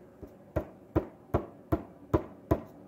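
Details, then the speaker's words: Motorcycle crank pin roller bearing check, con rod pulled up and struck hard: seven dull, evenly spaced thumps with no sharp metallic tap; lower rod bearing shows no play. "no kind of metallic tap"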